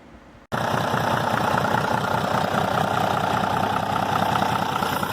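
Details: Restored Tata 1210 truck diesel, said to be a Benz engine, with cut injector cover to check nozzle leaks; steady even diesel clatter at settled idle with no misses or knocks: normal idle after engine restoration.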